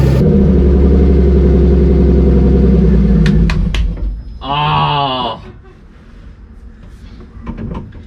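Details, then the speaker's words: Turbo BMW E30 on E85, first start after ECU install with only injector data and required fuel changed: engine catches, runs rough and uneven about three seconds, then leans out and dies; won't hold idle without throttle. "Now it will not stay idling. I have to give it gas and hold the gas to find the sweet spot to keep it idling, but as soon as that idle starts to settle anyways, the car just leans out and dies."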